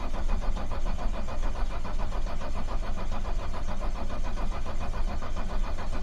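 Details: Racing Turtle diesel with a new battery, cranked after waiting for the glow plugs and overfilled with oil: the starter churns steadily for about six seconds and the engine never catches; cause not confirmed, and the fuel system is then hand-primed.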